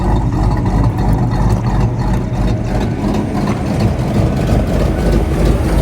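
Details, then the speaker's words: 1995 Mustang GT 5.0 V8 revived after new fluids and a belt bypassing the locking smog pump: deep, loping big-cam idle with steady chop, no misses or knocks; healthy. "Here comes the big cam. It does sound cam though. It does."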